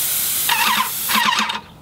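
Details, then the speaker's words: Airless paint sprayer with a 515 tip at about 2,800 PSI: two short, sharp, steady high hisses with clean starts and stops, even atomization, no sputter; normal spray hiss. "I got my pressure. I left it. It um it's about 2,800 PSI is what I shot that at."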